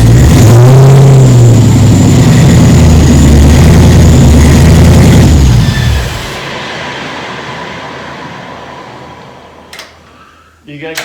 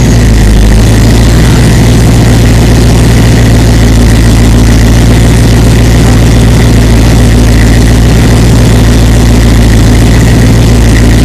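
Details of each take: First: 1936 Chevy sedan with rebuilt 6.0L LQ4 LS swap, first start, no coolant, on jacks: fires, revs strongly a few seconds, then drops to steady, even idle; running normally. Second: 6.0L LQ4 V8 LS swap in a 1936 Chevy sedan, first start after engine rebuild, no coolant in system, headers heating: loud even idle with a faint light tick on top, possibly back cylinder/valvetrain; cause to be checked.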